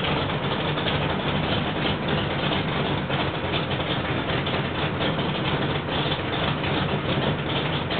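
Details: Rebuilt L88 427 Chevy big-block, hydraulic roller cam, 9.6:1 aluminum heads for 91-octane pump gas, timing set at 36°: loud, steady idle with a deep, even lope and no knocks or ticks; healthy, sounds like an original L88.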